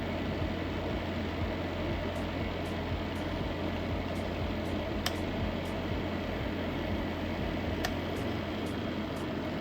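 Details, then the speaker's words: Luxell hot/warm/cool fan heater with adjustable fan speed running normally: a steady, even rush of air over a low hum, no knocks or rubbing; works fine, only drawback is loud fan noise. "But the only disadvantage is the noise, the fan noise."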